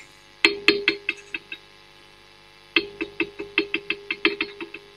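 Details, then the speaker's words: Marshall Kerry King Signature valve amp, preamp valves tapped with a chopstick: each tap gives a sharp metallic ping with a short ringing tail. Three valves are microphonic; fix is fitting selected low-noise valves, e.g. a 7025 in V1. "that one's microphonic and that one's microphonic so we've got three very very noisy preamp valves"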